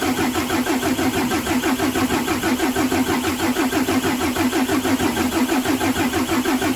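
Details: Mercedes Axor OM457 diesel on first start after a full rebuild for knocking, with fuel bled and all filters changed: the engine settles into a steady, even idle with a regular beat and no knocking. Normal idle.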